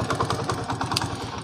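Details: Motorcycle after adjusting engine top-end tappets to cure a hard kick and ticking: even, steady exhaust putts at roughly ten a second with no ticking; idles cleanly, normal idle after repair.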